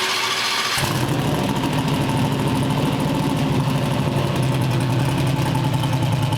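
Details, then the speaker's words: Twin-turbo 427 engine being dyno tested: it catches and settles into a lumpy idle with a steady stumble in the exhaust beat; one cylinder not firing due to a failed coil pack. "so that cylinder is not firing still the coil pack that one's this is it"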